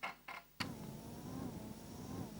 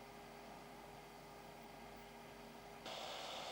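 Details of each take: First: Amiga cooling fan with 43 ohm series resistor: after a click, a faint slightly wavering hum; fan underpowered and struggling from too low supply voltage, replaced with 33 ohm. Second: Amiga 600 cooling fan slowed with a resistor (27 ohms), a soft, low whir with a faint steady tone and no rattle or grind; normal quiet fan running.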